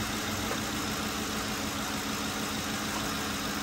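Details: 2007 Lincoln Town Car idling on the ground after repairing a leaking power steering pressure switch and vacuum-bleeding the system: a soft steady pump hum with no groan or whine, a few small bubbles remaining; power steering sounds healthy.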